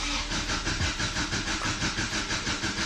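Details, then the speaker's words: Subaru Baja turbo after VF48 turbo install, fuel pump fuse pulled, cranked to prime oil through the turbo. Steady rhythmic cranking at about three beats a second with no firing; normal cranking without start. "Went ahead and pulled the fuel pump fuse. I'm just gonna crank it over a little bit to get some oil back through that turbo."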